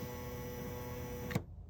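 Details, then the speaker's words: 2011 Toyota Camry power window motor, bench-tested with the switch during diagnosis of a faulty auto window: smooth, even hum, no grinding or stalling, soft clunk at the stop; motor judged good unless faults are intermittent. "again I'm just diagnosing I would say this is a good motor unless you're having a momentary problem with it to where when it stops next time you go out to fire it up it doesn't go"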